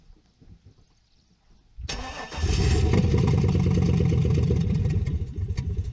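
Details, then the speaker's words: 6.0 LS V8 Silverado with an NV4500 manual, sat 12 years, stripped of parts and with a blown clutch: a brief crank, then a loud, lumpy, deep idle with sharp puffing, because the exhaust is ripped off at the manifold. "the exhaust is ripped right off at the manifold there so it sounds pretty rough"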